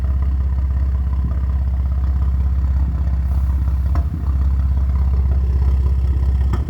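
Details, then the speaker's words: BMW M4 at idle: deep, steady idle broken by an occasional brief stumble, a very slight, random hit-or-miss misfire, recorded on a phone; owner is replacing the coil packs after already doing the spark plugs. "I'm basically going to try to track down this problem I'm having with the car. It's very oh so slight."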